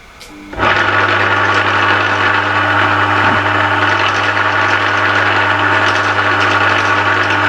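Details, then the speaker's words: Used Emco Maximat V10-P geared lathe running at 240 rpm spindle speed: steady low gear hum and whirr with no knocks or grinding. It is a bit noisy, which is normal for a geared lathe. "these are geared lifes I'll fire it up he's a bit noisy that's putting the power on"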